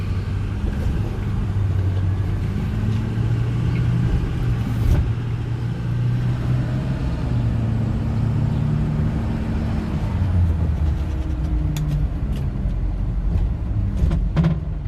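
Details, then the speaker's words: 2009 Ford F-450 DRW 2WD diesel, 153k miles, test drive: steady low diesel drone with no clunks, squeaks or grinding; suspension and brakes sound good and it shifts through all gears perfectly. "The brakes feel good. The suspension sounds good. I'm not hearing any suspension noises or brake noises, anything like that."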